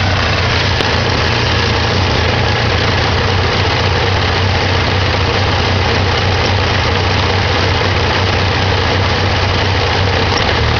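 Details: 1987 Ford Ranger 2.3L, started after sitting a while: heavy, loud idle with uneven low throb that never smooths out; rough idle, owner suspects carburetor needs rebuild or tuning.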